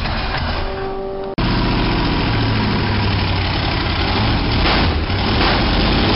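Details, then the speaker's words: 1987 Toyota Supra MKIII with Chevrolet 350 Vortec V8 and 700R4 after rebuild; earlier backfires fixed by turning distributor cap 180° and resetting valve lash. Engine catches and settles into deep, steady lumpy idle with even beat: normal start and idle. "all right moment of truth we're gonna see if I can't get this thing fired back up again"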